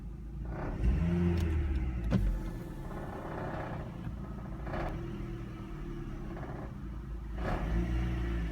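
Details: Vauxhall Astra H MK5 1.8 SRI petrol idling and revving, coarse loose rattle rising with revs; source unknown despite gearbox, front exhaust and backbox replaced and full service.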